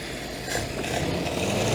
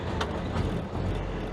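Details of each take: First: Ford-script Willys army Jeep flathead after the carburettor was pulled apart to restore the idle circuit: a soft, even idle with a gentle steady pulse and no valve clatter or misses, quiet with no valve train; healthy. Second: Ford-script Willys WWII army Jeep, starter-button start, revs held by feathering the pedal: lumpy, rough, surging low rumble that cuts out when the foot comes off; no fuel through the idle circuit from a blocked carburettor idle jet.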